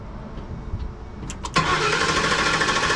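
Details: 2010 Ford E250 cranking: steady even churn about three beats a second that never catches; no fuel, fuel pump relay not energizing due to open relay ground wire, plus high-resistance starter signal wire; crank no start, no fuel.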